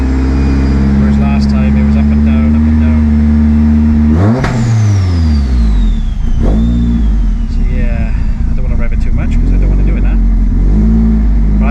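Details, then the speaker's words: Vauxhall Astra VXR with big Pulsar PSR4849G (G25-550) turbo, headwork and intercooler, unmapped, same injectors, MAF unplugged, warming from 74 degrees: deep, even steady idle with one brief rev settling straight back, no hunting. "but I'm just going to let it tick over and let it come up to temperature."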